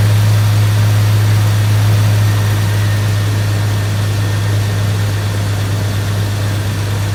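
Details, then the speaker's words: 1999 Jeep Cherokee after engine swap, first fire after oiling the cylinder: steady, even low idle with no misses or stumbles; smoky but running smooth on all cylinders. "Smoky? Smoky. Smooth, though. Damn smooth."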